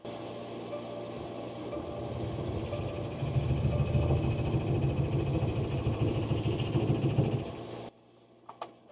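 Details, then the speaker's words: Mercedes Sprinter diesel van, -7°F morning, dead battery, on a portable jump starter after repeated glow plug cycles, up to about 22 degrees: steady starter churn at three to four turns a second, never catching; owner suspects gelled diesel. "I think my diesel is just gelled. The glow plug should warm it up."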